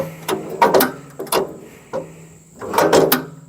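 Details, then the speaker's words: SuperSplit kinetic wood splitter, about 16 years old, cold engine: low hum with irregular metallic clunks and clatters. The rack skips when the handle isn't lifted firmly. "all right here we go the purpose of this video is to address the skipping"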